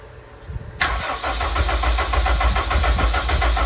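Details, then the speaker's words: Project RED Honda engine build, first start attempt on standalone ECU: steady rhythmic starter cranking about three and a half beats a second, turns over hard but never catches; electrical issues, battery voltage dropping while cranking, and a bad relay were later found. "it's on the lines of the am EMS needs a certain amount of revolutions before it fires and when you're doing that the voltage of the battery goes down"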